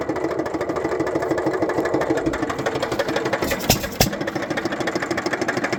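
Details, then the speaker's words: Economy/Hercules 3½ hp hit-and-miss engine with Wico EK magneto and good compression: the single cylinder chugs with a light, loose knock on each firing stroke, about three a second, from slight rod-bearing and wrist-pin play. "Other problem with this engine which is a minor thing but there's a little bit of play in the rod bearing which you can see there. And a little bit in the wrist pin. I can see a little bit of play there and you can hear it when it runs."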